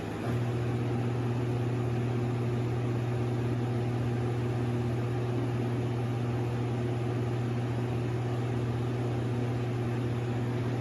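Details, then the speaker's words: Air conditioner unit kicks on with a loud steady low hum over the fan rush, pitch unchanging; abnormal, cause unknown, owner wonders if it is low on Freon or needs a filter change. "It sounds like something's trying to activate in there, like maybe it's out of Freon or something."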